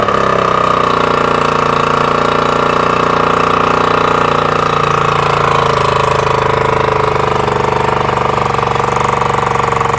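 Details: 3-cylinder Mercury outboard that had been sitting, first start after a new water pump: an uneven, lumpy two-stroke drone missing most beats, running on only the top cylinder; the carbs were completely stopped up with green gunk.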